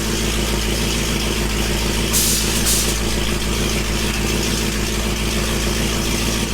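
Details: Dodge Hellcat V8 after head work with new head bolts and MAP sensors swapped: deep, lumpy idle with a steady low rumble, the beat evening out and holding smooth as the engine settles to a normal idle.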